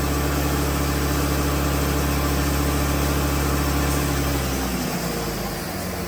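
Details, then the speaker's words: 2008 Mercedes-Benz ML320 after soldering the failed wastegate actuator (codes 2359 overboost, 2510 actuator fault), air filters out: steady drone with faint rising turbo spool hiss; sounds healthy. "I'm going to try the test again with it running [Music] yeah you can definitely hear the turbo spooling up"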